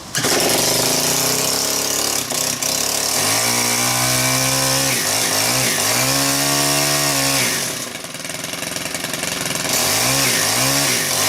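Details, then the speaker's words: Stihl KM130 4-Mix trimmer engine after valve adjustment, fast idle set, no choke; starts oddly and surges unevenly instead of holding steady revs. Owner suspects the carb diaphragm pump may need a kit. Poor starting and rough running. "Hopefully it starts on one pull. It's still starting kind of weird there, right?"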